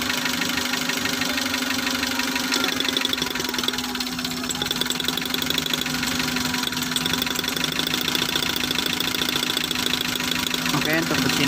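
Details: Futura fuel-injected car with check engine light on, hard starting, low power loaded or empty, stumbling above 2000 rpm: busy idle with an uneven ticking stumble whose rhythm never settles; misfire.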